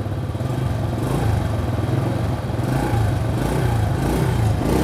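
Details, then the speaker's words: Restored old Honda Astrea motorcycle after replacing the imitation exhaust and starter with originals: low, even four-stroke putter with gentle rises in revs, smooth exhaust note with no rasp or misfire; runs well, ready to ride. "suara knalpot halus kali hai Sebelumnya knalpot terpakai imitasi ini kita ganti sekarang motornya udah enak"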